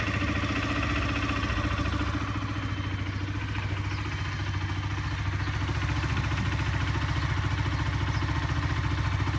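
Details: Honda CBR125R single-cylinder idle with hard regular metallic rattle on each firing pulse, heard while riding; engine strip found a fractured gudgeon pin.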